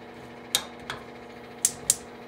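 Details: GE gas cooktop that kept clicking when off, after cleaning the igniters with Easy-Off; no noise when off, then a few sharp snapping clicks that stop once the burner catches, normal igniter sparking.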